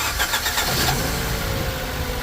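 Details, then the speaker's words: 2009 Mitsubishi Colt 1.3 L petrol cranked briefly, then started and idled very rough, running on three cylinders from a misfire on cylinder four, diagnosed as a failed cylinder-four ignition coil. "As you can hear, the engine is running very rough. Basically, now it's running on three cylinders. I already diagnosed this car and the problem is the ignition coil on cylinder number four."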